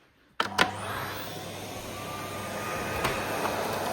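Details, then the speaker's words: Miele S312i vacuum cleaner, nearly 30 years old, after refurbishment, carbon brushes with plenty of life left: motor spins up into a strong, steady whirring rush with no rattle or scrape; healthy and very powerful. "You can't really believe this is 30 years old cuz it's so powerful as well. That is super powerful."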